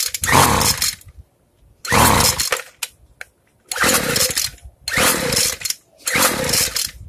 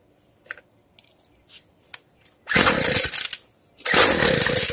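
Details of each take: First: Free two-stroke weedeater, low-speed carb screw opened too far while adjusting: short ragged blubbery rev bursts instead of crisp; running too rich, screw then closed back down. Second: Free two-stroke weedeater after the carb reset (fuel screw closed, opened 1/8 turn), firing much better than at first; after light taps it revs cleanly in two strong bursts, before the idle is raised to fine-tune the low and high screws.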